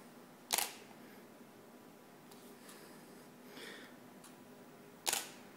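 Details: Yongnuo YN-565EX flash with fresh fully charged batteries, ready light red, on camera in manual mode with autofocus off: two crisp shutter clicks with no flash pop or recharge whine. This is the common misfire problem.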